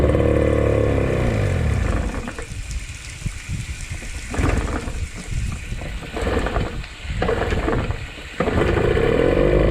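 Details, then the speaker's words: 1995/96 Johnson 15 hp two-stroke short-shaft outboard after a fuel pump filter screen and O-ring repair: an uneven note that stumbles at the lowest idle and dies, then picks up; owner thinks it needs a carb clean. "yeah the throttle's missing the handle like rubber so at like the lowest idle it runs kind of rough and dies"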